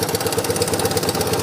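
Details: Yamaha Tri-Moto YTM 200 two-stroke, rear motor mounts missing and front one loose: quick even popping at about nine beats a second with a buzzy top end, a steady healthy idle after it was brought back to running.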